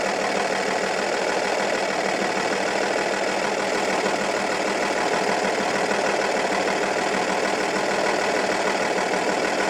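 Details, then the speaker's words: Audi A8 D2 2.5 TDI V6 (AKE) diesel with a rough, lumpy idle that began after hydraulic lifters and rockers were replaced. Loosening cylinder 4's injector nut changes nothing, while cylinders 5 and 6 change the sound. Cylinder 4 is dead from a broken exhaust valve. "method worked really when unscrewing the nut from the injector of the 4th cylinder , the engine operation does not change, and when unscrewing the nut from the injectors of the fifth and the sixth cylinder, the work of the engine changes and you can hear it"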